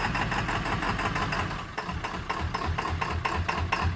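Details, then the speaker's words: Ford F-250 7.3 Powerstroke diesel run with low oil, heard from under the truck: rough clattering idle with an uneven, stumbling beat and loping swells; cause not confirmed. "Yep, there you go. Hitting real hard. That's horrible. That's terrible, man."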